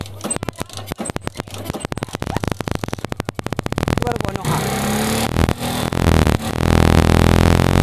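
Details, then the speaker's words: Carbureted motorcycle after fixing rich fuel mixture that fouled spark plug black: slow uneven firing picks up into smooth steady rev climbing cleanly without stumbling; now revving normally. "Nah setelah kita Gebyar sepeda motornya kita hidupkan beberapa menit namun dia udah normal seperti ini"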